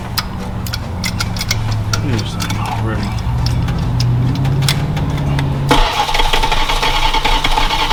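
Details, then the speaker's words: Former parts truck being readied for 1000-mile trip, oil found in freeze plug area: long uneven starter cranking then sudden catch into rough run, struggling to start; spark doubted, too much air from vacuum lines suspected. "You sure we're getting spark, huh? I got I mean, it started to kick off. Sounds like you're getting spark, but are you sure you're getting spark?"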